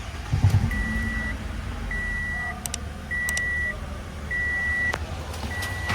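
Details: Toyota Camry with the 2AR-FE engine, in a case of front-of-engine noise traced to a faulty water pump: a low, even idle with no whirring or grinding from the front, and a repeating electronic chime on top. The engine sounds healthy.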